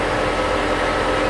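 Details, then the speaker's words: 2006 Nissan Pathfinder with intermittent stall and no-start, ECM disconnected: loud steady rushing roar with faint hum, no change; electric radiator cooling fan stuck at full speed, traced to an intermittent ECM relay. "so you can hear the electric cooling fan is running with the ecm disconnected"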